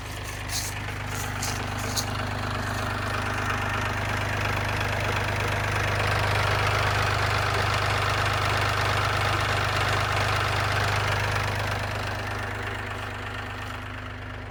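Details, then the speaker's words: 2015 Ram with the EcoDiesel engine: a steady idle with an even deep knock three to four times a second that slows as the engine winds down at shut-off. Owner suspects a rod knock; unconfirmed. "kind of sounds like a rod to me, but I'm not super familiar with these. When you turn it off, you can kind of hear it slowing down like it's something rotating."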